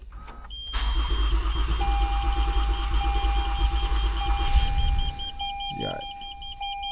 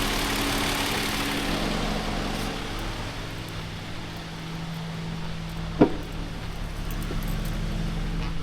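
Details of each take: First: Toyota Avalon with hard starting: starter churns evenly about four seconds with a chime sounding, then quits without firing; long cranking, owner believes water is in the fuel rail, injectors and spark plugs. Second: Toyota Avalon after clearing water from injectors and spark plugs: even, steady low idle with one faint click; runs smoothly now, though a code P1603 and some residual misfire remain while injectors dry.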